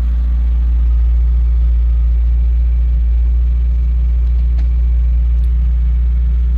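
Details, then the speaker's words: Citroen ZX with owner-reported rusted fuel tank and earlier poor idling: steady, even idle with smooth low rumble and no knocks or misses; normal idle. "that's good sounds good as well so it does run"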